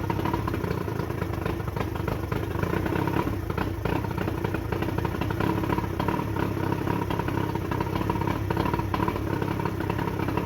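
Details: Johnson short-shaft 40 hp outboard, believed 1987, first start after repairs on a water supply: it fires right up into a steady, even two-stroke idle with no misses, knocks or rattles.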